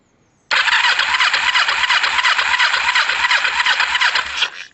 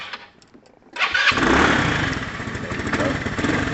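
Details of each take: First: Kawasaki ER-5 with a no-spark fault, wiring jumped to test the loom to the CDI. Starter whirs with even compression pulses about three per second over two long cranks, never fires: still no spark. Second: Lexmoto FMX motorcycle after lighting wiring repair: quiet, then a short crank and the engine fires straight into a steady, even idle; normal healthy start.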